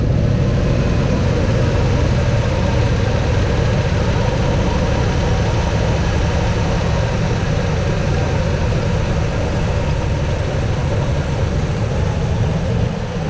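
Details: Mostly original 1986 Chevy C10 with HEI distributor, sat a couple of years. Run with the top fan shroud off and vacuum lines plugged; probably needs a water pump (wobble). Deep, steady, even idle with nothing clearly wrong.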